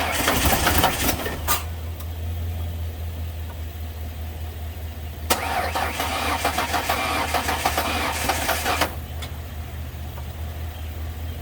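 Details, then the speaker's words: Ford Ranger after a manual transmission reinstall, jump-started on a weak battery: two bursts of quick even cranking at about four beats a second, never catching. It almost started, and the firing order was later found wrong. Cranking without start. "yeah all right we're going to try again it almost went the second time but uh I think the timing was messed up or not the timing but the firing order"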